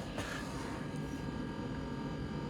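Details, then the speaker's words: Propane gas heater on 12 V DC converted from 120 V AC, after blown fuses replaced; ignition awaited, steady low droning blower hum with even airflow rush, not yet heating: normal blower running. "you can hear it ignite when it does probably just blowing"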